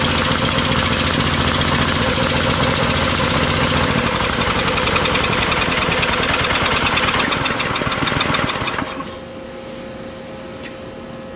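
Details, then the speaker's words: Briggs and Stratton 550e pressure washer engine: runs loud and rough, then falters and dies once air filter is fitted; not getting enough air, fuel-air mix wrong, running rich. "well before I had it where it it wasn't shutting down immediately but it was it's like it's not getting enough air now so the fuel air mix is wrong clearly there"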